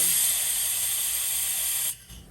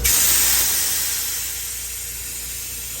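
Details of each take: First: Toyota 3.4L V6 5VZ-FE cylinder head off the engine, valve vacuum test with a low-volume pump: steady airy hiss cutting off clean, reaching 20 inches of mercury with no leak-down; valves sealing, vacuum holds. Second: Toyota 3.4L V6 5VZ-FE cylinder head, water jacket pressurized to almost 50 psi: steady sharp hiss slowly easing; number three cylinder leaks past intake and exhaust valve seats where the crack extends; cracked head, head rejected.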